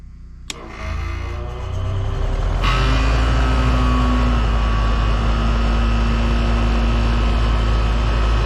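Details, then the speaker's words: Generator powering an air conditioner without Micro-Air EasyStart, recorded by phone near generator: runs steady, then bogs and strains as compressor kicks in (max about 70 A), settling into heavier lower hum under load. "hear this air air conditioner when it started it just does not sound you know the same on the generat"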